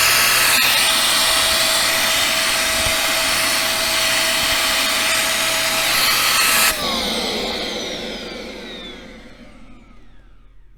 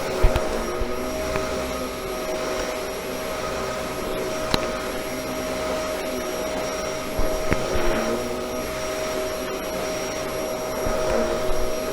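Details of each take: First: Bissell 1306 Multi-Cyclonic upright vacuum, about 11 years old, before cleaning: a loud, strained roar with a fixed high whine that winds down at switch-off. Suction is lost, and a clog is suspected of choking the airflow. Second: Bissell model 1306 Multi-Cyclonic upright vacuum after cleaning and maintenance: a steady, even motor whir with a constant mid-pitched tone and no surging or rattling. The motor runs better than before; normal running.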